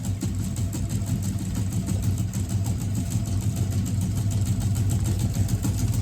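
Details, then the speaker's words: FF6 remote-controlled flapper decoy, speed-setting mode with button A raising speed: small motor ticks in quick regular pulses building slightly in pace and level as flapping speeds up; normal speed increase. "And to take it back out and rev it up to the speed you want it again, both buttons. Now button A, which is up."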